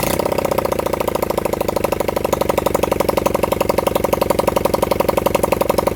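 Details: Honda CB100N single-cylinder motorcycle on its first start in over 20 years, fed from a half-flat battery; fast, loosely even popping idle that wavers and stumbles. Rough, unsettled running.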